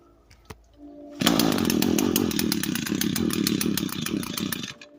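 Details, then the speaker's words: Echo SRM 225 string trimmer with broken choke, would not start per owner: starts but runs rough and uneven, revs sagging and bogging down; bad spark considered among possible causes. "so as you see, so it starts, but apparently it bogs down. So yeah, guys, as you can see, it bogs down."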